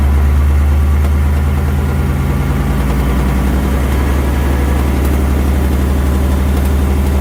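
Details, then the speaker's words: 2019 Ford Mustang GT with 7,400 miles, heard after an oil change with the oil level checked as correct and no codes: a constant clanky ticking that grows louder with rpm, unlike the normal typewriter tick. Cylinder one scoring is suspected. "it's going to be a clanky like ticking tapping and it gets louder with rpms as he raises the rpms you can hear it get louder and louder and louder"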